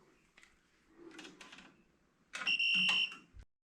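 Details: Steady high-pitched electronic beep about three-quarters of a second in a quiet room during safe isolation on a central heating conversion to a Worcester Bosch combi boiler; voltage tester signals voltage still present after switching off. Cause suspected, not confirmed.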